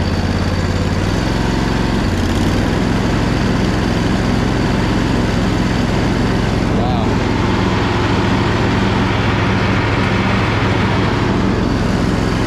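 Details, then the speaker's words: Crusty Poulan Pro zero-turn, driven forward, reverse and turning with the deck spinning: an even drone with a faint drive whine and no grinding or squeal from the quiet spindles. Normal running. "spindles are super quiet on here too they have certain fittings on these ones there is no way that you could have paid me to know that this machine would run that well looking at it"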